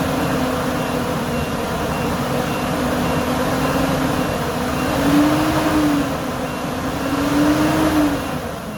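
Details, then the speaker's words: Workhorse W22/W24 chassis, 8.1 Vortec, replacement fan clutch test: fan barely turning at 137 degrees, then a rising whooshing roar swells in as the clutch locks up at about 225 degrees; fan clutch engaging properly. "that's the sound i've been waiting for it took it a while you have to get to 225"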